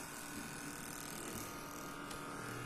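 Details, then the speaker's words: HP laptop right after power-on: constant thin electric buzz with a steady mid-pitched whine in a quiet room; technician suspects the cooling fan and opens it to check. "देखिए जैसे ही हम इसको on करते हैं तो on करने के बाद इसमें एक अजीब तरह की आवाज आती है"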